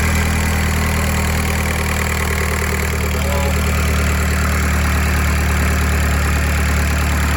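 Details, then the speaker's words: TDI diesel cold-started after swapping in a junkyard airbox, at raised fast idle to warm up in the cold. Steady, even diesel clatter with no misfire or knock: normal cold idle. "There we go. Idle kicks in, help warm her up in the cold."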